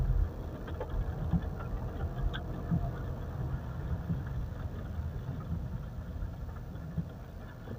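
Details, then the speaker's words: Pajero after replacing the burnt, worn brake pads that caused a screeching squeal when braking: while rolling and stopping, only a steady low road rumble with no squeal or scrape; the brakes are now quiet. "mobil mahal enak bunyinya udah hilang sama kayak VW Combi"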